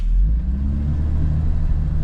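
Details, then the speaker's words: 80 Series Toyota Land Cruiser after broken exhaust repaired, slightly louder than stock, driving away: deep even low rumble, no rasp, puffing or leak ticks; quiet, sound exhaust. "Much better. When we get home, we'll look under the truck and see what it all looks like. So, let's just do the driving test here. And already the quiet is just so nice."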